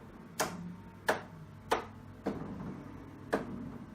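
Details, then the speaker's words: Kogan 43-inch LG-panel monitor on a Next Level Racing GTUltimate sim rig stand mount: five sharp hollow knocks at uneven gaps as the panel rattles loosely in its mount. "the one concern I had with it initially was in mounting it I couldn't stop the panel from rattling and by that I mean this sound"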